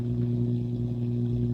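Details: Akai AP-207 direct-drive automatic turntable after a service: a loud, steady low hum with stacked tones comes through the stylus output; source not found, and swapping to a test cartridge is next.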